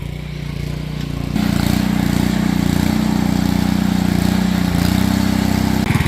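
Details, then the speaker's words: John Deere 110 mower repowered with 7HP 212cc engine and centrifugal clutch belt drive, driven under load; steady single-cylinder pull with rough mechanical drone from the rear end transaxle; transaxle noise. "yeah I don't know if you guys can hear it but the rear end the rear end underneath me is making bad"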